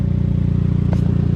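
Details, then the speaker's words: 2002 Saab 9-3 convertible, 176,000 miles, idling with no engine light: fast, even low puffing pulse, suspected small exhaust leak despite earlier exhaust work; not confirmed. "sounds like we have a little bit of an exhaust leak coming from right in this area which is weird because we've done so much exhaust work to this car"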